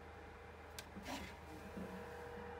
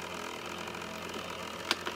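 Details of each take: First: Trotec dehumidifier after disassembly and cleaning for growing noise; soft steady fan whir, faint even hum, no rattle or scraping, quieter than when new. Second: Trotec dehumidifier, about a year old, grown noisy: steady raspy whirr with a buzzy tone over the hum from its PC-style cooling fan motor bearing, clogged by sucked-in dust.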